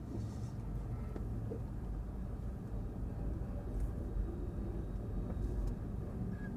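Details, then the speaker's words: 2004 Subaru Forester XS driving, rear left wheel bearing about a year old, fine that morning: heavy rough low rumble and grinding with strong vibration; failed wheel bearing grinding. "listen to that it's like grinding and actually I lifted it up and it's vibrating so much yeah listen to that that's my bearing"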